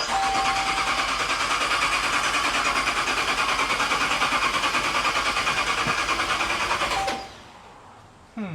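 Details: Dodge Charger Pursuit on start-up attempt, 87° air temperature: starter turns the engine over fast and evenly for about seven seconds but it never catches; fuel at the tailpipe, so missing spark suspected, unconfirmed.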